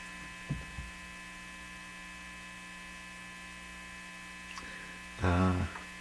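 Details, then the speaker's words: National HRO-60 communications receiver at reduced voltage (about 57) during defective-part hunt: steady low hum with switch clicks, no signal or audio passing; cause suspected, not confirmed. "Well, that's not going to do the trick. We need a lot more than that. So that's what I got last time. It's just this hum."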